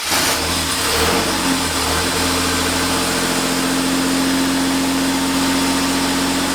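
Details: 1990 Chevrolet Cavalier Z24 first start after an 18-month restoration with temporary wiring and makeshift intake: throttle blips then a steady even idle, no misses or knocking, oil pressure good; normal idle.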